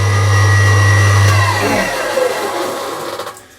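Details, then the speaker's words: Belle 240 V electric cement mixer that won't rotate unless pushed: loud steady low hum, turning only after a push, then dying away as it coasts down; failed start capacitor, probably blown by starting loaded; fixed by replacing it. "Customer says it doesn't rotate unless you give it a push. So let me demonstrate. You might be able to hear a buzzing."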